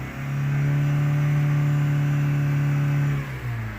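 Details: 2006 Vauxhall Meriva with a recently replaced engine, not warmed up, heavy smoke from the exhaust: engine revs smoothly to a steady held drone with no knock or miss. Blown head gasket suspected.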